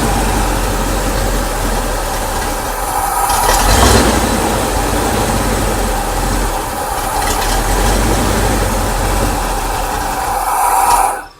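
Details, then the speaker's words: Ford Bronco idling: after about 45 seconds idle slows, turns choppy and lumpy and eventually dies; revving saves it, a created vacuum leak keeps it running; oil pressure fine, no oil burning; rough idle, cause unknown. "just after idling for like 45 seconds it'll start to slow down it'll get choppy and eventually it'll die and i can even save it i can save it by revving it up"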